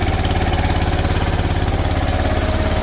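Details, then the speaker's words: 1980s-ish John Deere 314 garden tractor, Kohler K321 single-cylinder, revived after decades: soft, slightly uneven idle thump with heavy lingering smoke; head-to-block joint wet with oil, suggesting a blown head gasket. "But, just looking at it, I'm pretty hopeful cuz you can see where that head meets the block, it's all wet with oil. So, that is a good sign that the head gasket's blown."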